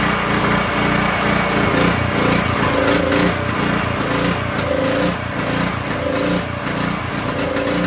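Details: King Canada 3000 W generator that had stopped producing power after a pop, restarted after reassembling the front cover, still no air filter fitted: engine pitch rises and sags about once a second; hunting, surging idle, cause not stated.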